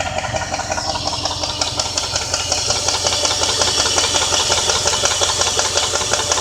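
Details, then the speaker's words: 2001 Jeep Grand Cherokee 4.7 V8 running, after stalling at a light and being towed, with a sharp, even tick at about 167 per minute that speeds up with revs; owner unsure if lifter, flywheel, timing chain or rod knock. "I need help to know if this is a redneck lifter or a flywheel or a timing chain now all you guys listen to this and tell me for yourself"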